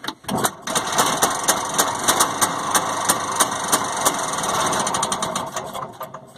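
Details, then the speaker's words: Penguin that quit and would not restart, now running in reverse after a simple no-spark fix, checked with a spark tester; small engine runs steadily with even rapid firing and a light rattle, no misses or stumbles. "that's reverse so that was a fairly simple fix well at least to get it running for now"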